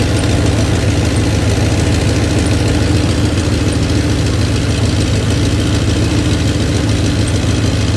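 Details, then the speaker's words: 1993 Dodge Ram D150 with Magnum 5.9 (360) V8 that quit while running; deep, steady, even idle with no misses or knocks, warming up until the thermostat opens at 195; engine sounds healthy. "pero la máquina se oye para mí perfecta. Vamos a dejarlo que caliente un poco."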